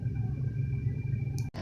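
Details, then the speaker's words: New blower motor just installed in a 1989 Oldsmobile Delta 88 heater/AC, replacing a noisy original, heard running in the car. A low steady rumble with a faint even tone, nice and quiet after the repair. "there it is nice and quite looks like a job well done"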